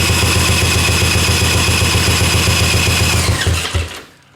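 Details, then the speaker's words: 1984 Honda ATC three-wheeler, single cylinder spun over at about four pulses a second, never catching, then winding down; the airbox bounces from intake pressure. Owner suspects the intake valve is adjusted too tight. Cranks but won't start. "When I try to start the engine, this airbox bounces. There should not be pressure this way from the intake."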